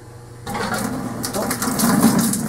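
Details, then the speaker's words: Newly installed Modine 33,000 BTU hydronic unit heater tied into a hot-water boiler, being purged of air through a washing-machine hose: a steady rushing hiss as water moves freely through the filling lines. Normal flow. "we're just gonna crack this and start letting some arrow which is going to allow cool water in yeah can you hear the water moving"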